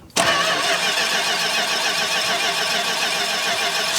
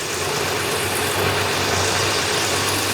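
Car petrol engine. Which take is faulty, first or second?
first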